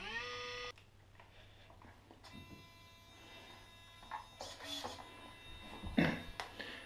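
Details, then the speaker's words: Sensored brushless motor for an Axial SCX10 Rubicon, after five minutes soaking in a small tub of water, holds a quiet, steady high whine with no stutter; it is still functioning fine. "well here we are five minutes later and the motor is still functioning absolutely fine"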